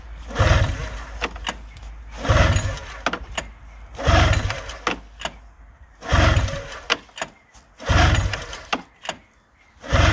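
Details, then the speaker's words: 2000 Arctic Cat ZL440 two-stroke snowmobile, first start after used-parts rebuild: loud raspy blats in bursts every couple of seconds, sharp undamped crackle; running straight pipe with no muffler. ">> No muffler. >> Oh yeah, it's straight."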